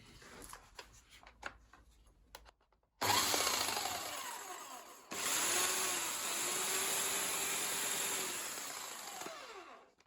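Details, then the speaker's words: Bosch AHS 40-24 corded hedge trimmer, salvaged from a skip, dusty, with a crusty blade, first run before oiling: the motor spins up to a steady, high buzz, then stops instantly when the handle is released by the safety feature. Normal running. "And it does stop instantly. You let go of the handle. That's that safety feature thing happening."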